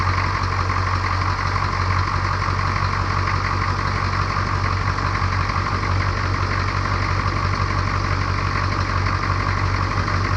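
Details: 1982 K20 Suburban diesel 4WD 3/4 ton, revived after 3+ years sitting, restarted after a 20-minute run and coolant drain: a steady, even idle clatter with no misses or extra knocks. It runs smoothly.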